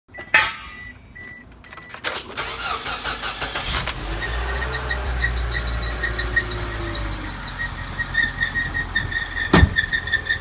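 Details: Engine abnormal noise recorded 23 Feb 2018: after the engine catches, a thin, steady, high-pitched squeal rides over the idle; source not yet found.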